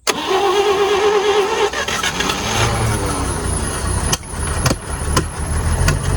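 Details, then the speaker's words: 1940s GMC 6x6 military truck sitting 40 years, first start; catches and runs unevenly with sharp pops and stumbles and compression escaping from a hanging valve, which then freed up; some carb issues, no rod knock. "I'm hearing compression Escape somewhere it's very odd I wonder if we have a valve hanging up"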